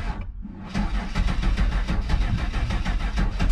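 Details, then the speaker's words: EFI car ("the Bandit") showing only 40 PSI at the fuel rail against a spec the owner believes is roughly 58–63. Steady, even cranking at about five to six turns a second, never firing; it cranks but won't start, and the owner suspects a failing fuel pump. "40 PSI I don't believe is enough to make this old puppy start."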